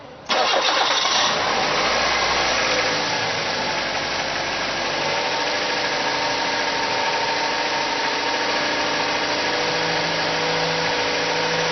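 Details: Car engine that revs up at cold start and in P or N, idle won't drop, while spraying carb cleaner to hunt a vacuum leak: catches, flares, then holds a fast steady high idle; vacuum leak suspected but none found.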